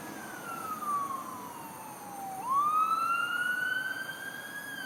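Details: Utility pole transformer at night, March 2012: a piercing whistle slides down in pitch, then climbs and holds high, with no engine beneath; a recurring electrical screech from the transformer.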